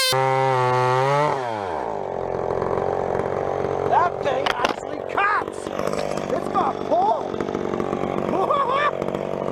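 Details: Vintage chainsaw, unknown when last run, chain a little dull, cutting a 14-inch piece of wood: screams at high steady pitch, drops into the cut and holds strong revs through the wood; pulling well, normal cutting.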